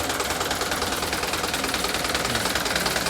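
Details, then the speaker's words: Mitsubishi Canter truck diesel at idle: quick even light ticking two to three per second over smooth idle; suspected valve lash, tick fades when revved; exhaust manifold leak and hissing also noted. "Cukup halus, tapi ada suara detikan tadi. Kemungkinan besar masalahnya ada pada penyetelan katup."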